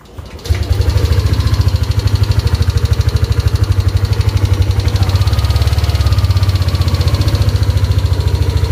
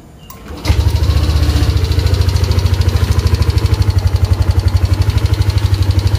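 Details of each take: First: Yamaha Aerox scooter with MIL light constantly on, starting and idling lumpy and unstable but seeming fine when revved; caused by a broken or worn engine temperature sensor wire near the radiator giving false temperature readings. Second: Yamaha Aerox scooter after repairing a torn engine temperature sensor socket and wiring that caused the MIL light and unstable running: quick crank, catches at once, even idle with no misses; fault cured, engine runs normally.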